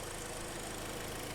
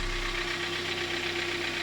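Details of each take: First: 2012 Hyundai ix35, G4KD petrol engine, front-wheel drive, 130,000 km: low, even idle hum with a steady beat and no knocking after a small wire was reconnected; engine settled and healthy, normal idle. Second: 2012 Hyundai ix35, G4KD engine, 130,000 km, warming idle as revs drop: light uneven ticking over steady hum and hiss; owner reports knocking cold and hot, possibly scored cylinders; source not confirmed.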